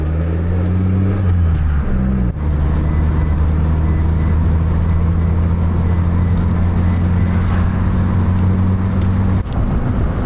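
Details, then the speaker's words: Mitsubishi Lancer (non-Evo) road test after maintenance: steady, deep engine drone at even pitch under load after a brief shift, no slip flare; normal drive. "there she is guys she's running she's running hella good now we have speed now he can actually get on the highway"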